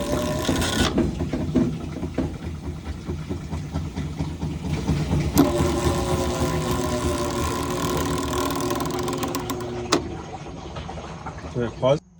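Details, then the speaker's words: Whirlpool/Maytag washer not washing. Rough scraping grind with irregular clicks as the drive turns: the splutch is contacting the pulley rather than engaging. "Now the next clip is going to be a washer, and you'll hear the noise that it's making, and that is a sign that the Splutch is coming in contact with the pulley."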